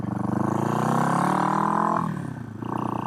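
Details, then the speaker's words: 1970 Honda CB450 five-speed twin on a test ride: even exhaust note climbs smoothly through the revs, dips on shifts and picks up cleanly; fifty-year-old motor runs and pulls well, normal running. "But as you guys can tell, it's running pretty good."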